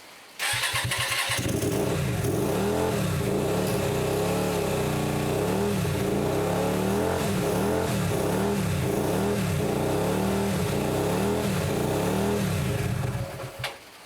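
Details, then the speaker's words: Hyosung 125cc V-twin, standing 2 years, first start after the carbs were cleaned, idle screw not yet set: revs swell up and down unevenly for about twelve seconds, then it cuts out; stalling because the idle is set too low. "I haven't um I haven't got the idle set on you because the it's a thing down here that turns the idle up and down so that's why he's cutting out"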